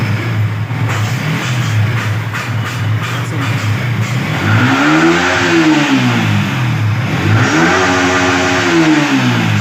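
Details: Yamaha R15 V3/V4 with a suspected engine and VVA problem: revs climb and fall twice in smooth sweeps with a rough edge through the rise; something sounds off, cause not confirmed.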